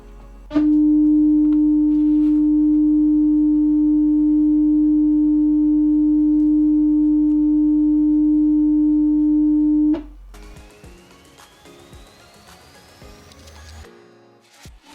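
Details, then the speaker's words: Turntable tonearm and cartridge setup check on test record tracking bands at the start, middle and end: a pure, steady 300 Hz tone for about ten seconds with no buzz or distortion, so the cartridge tracks cleanly. "if you hear a clean 300 HZ toone in all three tracking it means that your system your arm and cartridges can track currently the beginning the center and the end of the [Music] record"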